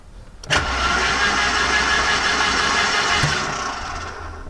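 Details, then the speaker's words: Garden-find Mercedes-Benz 190E, long parked, first crank on the key with spark plugs removed; starter spins the engine fast and evenly with no compression pulses or grinding, oil pressure gauge rises; normal cranking. "Shall we see what it sounds like? Yeah, just on the key. It's got no spark plugs in, remember."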